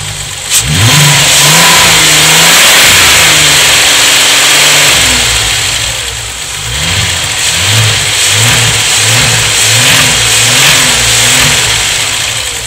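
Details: VW VR6 12V at idle, misfires on cylinders 2, 3, 6 (mostly 3), coilpack, plugs, wires, coolant temp sensor and purge valve already replaced: lumpy idle between rev blips never smooths; after long idling one cylinder stops and revving doesn't help, restart needed. Misfire.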